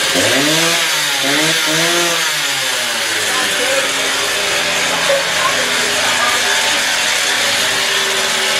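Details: Stihl TS350 cut-off saw after engine rebuild, fuel freshly mixed, choke off, old blade fitted, warming up; revs climb and fall cleanly a few times, then hold a steady high scream without stumbling, normal running.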